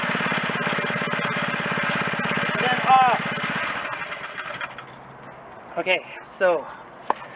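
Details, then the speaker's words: McLane edger small two-stroke after carburetor cleaning and the idle screw turned half a turn out. Steady buzz at half throttle, then cuts out cleanly: running normally. Smoke is cleaning-product residue. "okay so i'm gonna called us a success i got this running yay woohoo"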